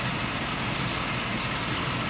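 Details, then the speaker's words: 1995 Cadillac Fleetwood after its engine misfire was solved: steady, even idle with a smooth low hum and no stumble or skip. It is running cleanly. "runs like a sewing machine"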